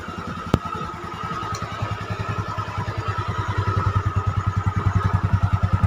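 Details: Yamaha Mio Sporty automatic scooter after a repair for oil consumption and a seeping block and head, now finished and no longer leaking oil. Even, steady single-cylinder idle of about three pulses a second that firms slightly.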